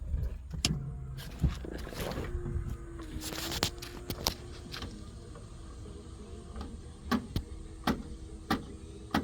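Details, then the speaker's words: 1978 Mercedes 450SL power antenna extending: thin motor whir rises then stops, followed by sharp clicks about every half second as the mast stalls short of full extension; may be fixable with lubrication, cause unconfirmed. "so you can hear that clicking and it kind of stops at the top now this this section is not fully extended"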